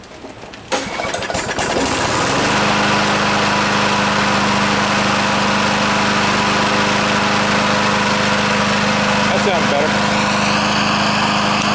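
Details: Briggs and Stratton push mower that ran rich, blew black smoke and oil out the muffler, after reassembly: pull-start catches within two seconds, steady even drone without surging; running properly.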